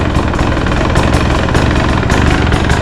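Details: 2024 Husqvarna 300 TE two-stroke, started after installing an aftermarket fuel pickup extension tube: deep, steady idle burble, firing evenly with no misses or knocking; normal idle.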